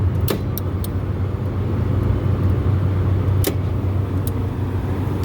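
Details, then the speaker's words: Walk-in cooler refrigeration rack restarting after about an hour off; condenser fan motors fire up first, ice machines are left off. Steady low hum with light clicks as fans and compressors come on: a normal start-up. "everything should be coming on because it's been off for about an hour you want to listen and hear everything turn on too"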